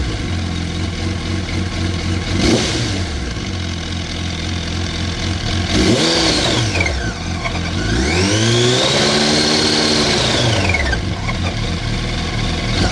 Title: r1 2004 bad engine sound, cct?